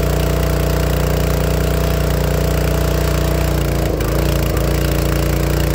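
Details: Honda GX160 on a log splitter, carb cleaned and air cleaner replaced with no change: steady chug with sharp pops and stumbles once warm; misfire from a failing, blackened spark plug.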